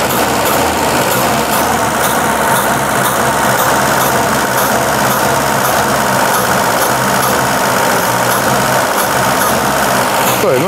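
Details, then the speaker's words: Car left sitting about a year on old petrol, which is suspected but not confirmed as the cause; after a long struggle it starts very badly and runs rough, uneven and labouring, then sneezes and backfires on the drive; hard starting. "Заводится очень плохо, очень прям безобразно."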